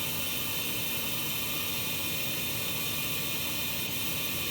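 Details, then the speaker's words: Carrier gas furnace on a no-heat call, flashing code 34 (ignition proving failure): steady airy whir with hiss but no firing; induced draft assembly sounds rough, pressure switch suspected not pulling in; igniter later found failed. "so pretty sure 30 four is going to be related to pressure switch which is probably not pulling in because you hear the condition of the induced draft assembly"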